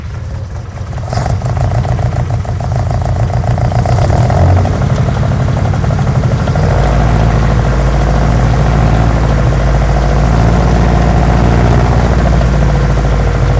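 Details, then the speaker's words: 1972 BMW 2002 four-cylinder, semi-cold start after being driven in sputtering: catches then runs lumpy with uneven stumbling, hunting idle and heavy shaking, then won't refire; rough running, cause not yet known. "that it it wasn't happy so that that was just earthquaking you know earthquaking around uh not 100 sure on what it is yet"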